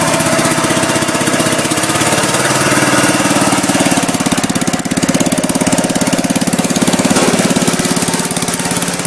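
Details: Gravely Commercial 10A with rebuilt single-cylinder Kohler, first start in snow with snowblower fitted, after new governor cross shaft and gear, crank ground 10 under, new piston, rings, rod, gaskets: steady, even putter about 3.5 beats a second, healthy.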